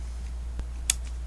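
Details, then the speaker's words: PS4 power supply ADP-240AR AA (model 1001A) switched on via homemade tester plug: faint click then sharper click as the supply switches in over mains hum; normal, output then measured about 11.9 V. "so if you listen closely when I plug this in you'll hear the switch kick in"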